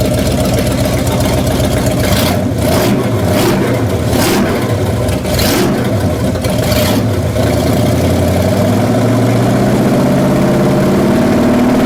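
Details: 1966 Chevrolet C10 V8, distributor loose while setting timing: runs rough and uneven with irregular rev surges and choppy idle; owner thinks one cylinder is off, cause unconfirmed; abnormal engine noise.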